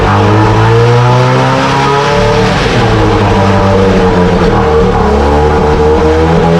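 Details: 1968 Evinrude Fastwin outboard, dirty and untouched, first run in a test tank after the seller said it ran weeks ago: loud, steady two-stroke buzz with small speed swings and no knocks or misses; runs like a top. Normal running.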